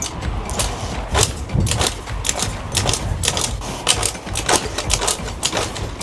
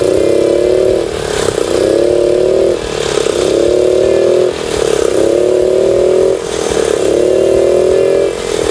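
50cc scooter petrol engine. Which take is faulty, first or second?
first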